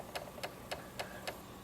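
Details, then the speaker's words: Honda Ruckus scooter at key-on after carburetor cleaning and new fuel line, electric fuel pump under bracket; crisp light ticks about every quarter second, steady and even. Normal electric fuel pump priming. "Turn her on. You can hear the pump."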